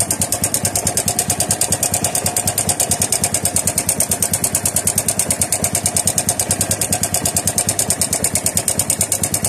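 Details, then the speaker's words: Honda RS 125 single-cylinder motorcycle idling with a sudden sharp, rapid metallic ticking that keeps pace with the engine; a suspected failed timing chain tensioner, with a loose valve also considered as a possible cause. "letter B is yung timing Chin biglang bumigay yyung tensioner kaya lumi bigla"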